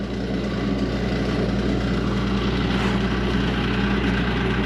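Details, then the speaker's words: Ice machine in harvest mode with cover off: small air-assist pump runs with a steady low drone and rough gravelly edge; pump is worn out and sounds terrible. ", I just went into harvest and the air assist pump is roached. You can hear it. I got the cover off. So, there's a little air pump in there. It sounds terrible."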